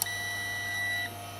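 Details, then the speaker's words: AIMS Power 1250 W inverter charger on 5 A limited supply, heat gun on a chip to recreate failure: single steady high beep about a second over quiet hum, normal charge-mode tone before it later faults. "Okay, so it's in charge mode. So that's all normal."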